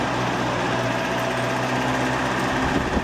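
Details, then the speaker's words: Circa 1959 Frigid 20-inch all-steel 3-speed oscillating box fan, oiled, running on medium speed; a steady low motor hum with rushing air and no knocks or rattles, though the louvers squeak at startup; normal fan running. "Man, this thing is a wind machine, I'll tell you."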